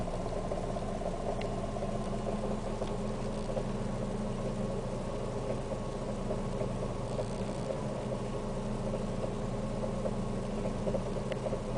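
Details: Siena 1.6 at idle, recorded inside the cabin: steady low idle with a slightly uneven, shaky throb and a constant hum reaching the interior, plus a constant shake felt at idle; rough idle.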